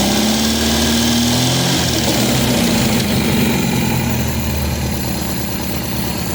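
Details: 1972 MGB with SU HIF44 carburetors, after an oil change and lowering the idle from 1400 rpm: the engine note eases down and settles into a steady, smooth idle around 1000 rpm with no misses or knocks; normal idle.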